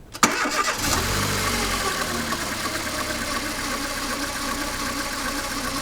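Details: Mercedes A140 W168, 2002, 133,000 km: cranks, catches, then steady idle with a light metallic chatter running through it; engine rattle a mechanic suspects is the timing chain or chain tensioner.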